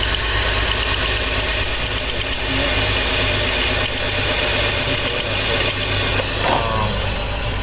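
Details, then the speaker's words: 2004 BMW X3 3.0L six with cylinder 1 misfire codes (P0301), cylinder 1 coil pack pulled as a test: uneven, lumpy, hissy stumbling idle with one dead cylinder; misfire from disconnected ignition coil. "okay guys so we got the coil pack pulled out of the cylinder that should be cylinder one let's start this up see what happens here"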